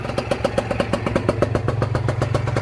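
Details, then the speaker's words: Honda NSR 125 two-stroke running cold on choke just after first start following a rebuild and battery charge; it would not start without choke. Lumpy, popping, stumbling idle that never dies; owner believes it must warm up. "póki co jest na ssaniu bo nie chciała odpalić bez niego a to chyba dlatego że mus się nagrzać"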